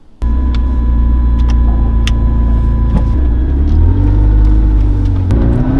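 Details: McLaren MP4-12C after repair of a knocking/thumping engine, suspected earlier low or poor oil: deep smooth rumble pulling cleanly as revs rise, no knocking or thumping over the exhaust note; engine now running healthily.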